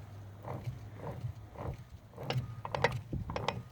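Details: OMC Cobra/Volvo Penta SX outdrive, shifter pushed down into reverse, driveshaft turned by hand: light ratcheting clicks with no engagement, so the shaft does not drive. This indicates a failed reverse gear.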